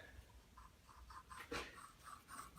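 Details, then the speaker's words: 1971 Mercury 500 outboard powerhead teardown: quiet, dry scratching rasps in short bursts as the bottom bearing is spun by hand, rough and gritty, so it must be replaced; the top bearing is less bad but still gritty. "if we can hear that what that bearings in bad shape it's very nachi so there's one that's gonna have to be replaced"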